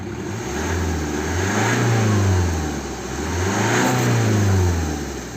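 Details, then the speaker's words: 2010 BMW 1 Series 118d, N47 2.0 diesel, engine light with DPF and exhaust back-pressure sensor faults (481A, 4810), low power: revving up and down brings an airy hiss swelling with revs, like an air line blowing off; boost leak from disconnected DPF pressure hose. "Varía muy poco, y ahora mismo se acaba de escuchar el soplío que también el dueño nos ha comentado. Y se escucha como un soplío, como me recuerda como cuando en el taller se te escapa la boquilla de la manguera de aire y empieza a pegar latigazos."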